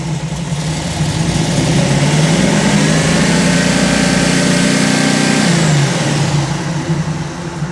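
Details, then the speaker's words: 1957 Chevy convertible V8 built from a 4-door shell, timing check: initial timing 8 degrees, owner likes 36–38 total; revs rise flat and lazy, timing too retarded, needs more advance. "That was 0. So whoop. It needs more timing."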